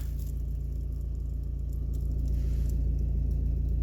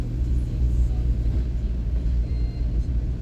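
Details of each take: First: Volvo V40, worst when cold, in third gear: deep steady engine drone with a fast, even low rattle underneath; the dual-mass flywheel is worn with excessive play. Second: Volvo V40 on road test after repair of a noise the owner noticed mainly when cold, dual-mass flywheel play suspected: even low road rumble under load, no knocking, rattling or clunking; normal drive.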